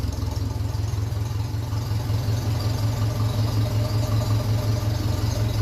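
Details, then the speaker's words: 1957 Ferguson 35 TVO tractor running on kerosene, warm, heat shield off, vertical exhaust: slow, even low thumping idle with no knock or misfire, running nicely. "I think that sounds like it's running fairly nice"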